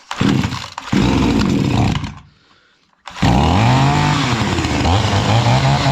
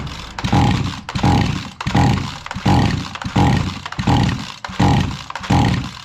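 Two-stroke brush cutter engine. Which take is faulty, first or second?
second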